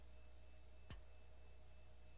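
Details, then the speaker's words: On a Mitsubishi KM175/KM176 four-speed automatic transaxle, battery voltage applied to terminal 1 of the solenoid (spec 2.9±0.3 ohms) gives a single sharp click. This shows normal actuation, not a stuck or chip-clogged valve. "for a clicking noise indicating operation if you hear nothing then it is either simply not functioning or it's clawed with foreign matter such as aluminium chips"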